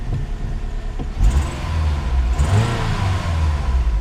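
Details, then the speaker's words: 2004 Pontiac Grand Am, bought cheap with problems after a failed relearn and VATS bypass, finally starts and runs steadily with two clean, smooth rev blips; only brake and seat belt lights remain on the dash; normal running. "all right well there you go guys she's a runner that's awesome pretty excited about that"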